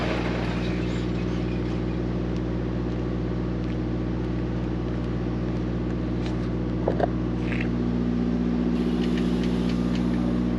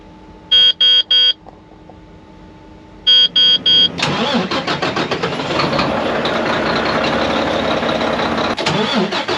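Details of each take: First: Mack MP8 / Volvo D13 truck diesel after a Volvo specialist sorted the injectors to cure its long-crank hard start: constant regular idle beat with a couple of brief outside clicks; clean healthy idle. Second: Mack MP8 / Volvo D13 truck diesel that long-cranks after sitting a day or two or after a fuel stop: warning chimes, then starter grinds a good while before catching and settling; hard start, later fixed by sorting injectors.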